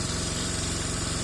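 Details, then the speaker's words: Taotao Boulder 125 Chinese ATV that runs but won't move and dies: steady quick idle with even chuff and faint popping from top end, fluid seeping near head; blown head gasket, found after pulling top end. "sauce coming out a seal or something over here off the head so I may have a busted head gasket"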